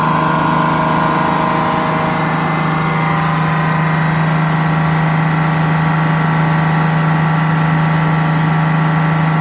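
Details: GM 4104 bus diesel, warm after a test drive, following a transmission swap, new clutch, rear main seal and resealed valve cover gasket. Steady, even idle with a constant low drone, no misses, knocks or rattles. Healthy.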